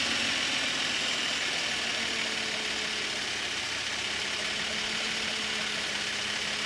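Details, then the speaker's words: 2012 Subaru Outback 3.6R at idle after replacing the noisy idler pulley and bearing (tensioner pulley bearing done earlier): smooth, even idle with a steady light hum, no squeal, chirp or rumble from the belt drive; nice and quiet, healthy. "We're all back together it's nice and quiet"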